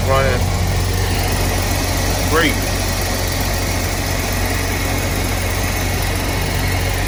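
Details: 2001 Chevy Express van, 4.3 V6, after spider injector, ignition coil and distributor replacement; first cold start at 35 degrees without starting fluid, no service engine light: steady, even low idle hum, no misses or knocks; running super good.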